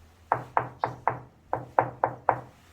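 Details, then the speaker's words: Tapping on tile: eight crisp, short, firm taps with no hollow ring, unlike the hollow sound of adhesive-set tile not pressed well before curing; solidly bonded tile. "근데 본드 같은 경우는 제대로 압축을 하지 않고 일반적인 시공하게 되면 완전 양생 하기 전까지는 요런 통통 소리가 나요 아까 이런 소리가 나는거 고 여기 위에 는 다 이렇게 단단한 소리가 납니다"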